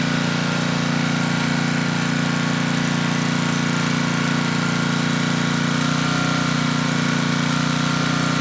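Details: Tecumseh HM100 10hp single-cylinder engine on a Western Hemisphere 6,000 W generator, after oil top-up: steady, even beat around four pulses a second, a touch slow. Engine speed low; governor spring adjustable after carb and needle-and-seat cleaning.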